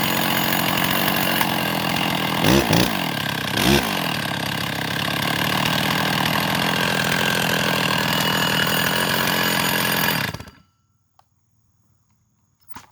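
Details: Stihl MS660 chainsaw fitted with a big bore kit (no freeport), test run after fixing known issues: two-stroke screaming at high revs with brief early stumbles on acceleration, seems to be loading up on fuel; cause not confirmed, back to bench afterward.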